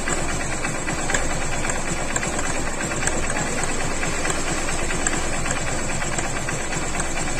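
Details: Honda CB Shine single-cylinder motorcycle at idle after recent engine work: fast, light, regular ticking over a steady idle; internal engine noise, cause not yet pinned down.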